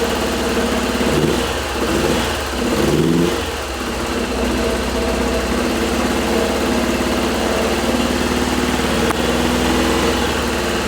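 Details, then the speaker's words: 1985 Subaru turbo AWD coupe, 44,000 miles, parked about 30 years, at first revival start: a rough, uneven run with a brief rev and an unsteady beat through the idle. Sounds like a cylinder is missing; suspected, not confirmed. "I still think it's a cylinder missing [Music] somewhere sounds good though"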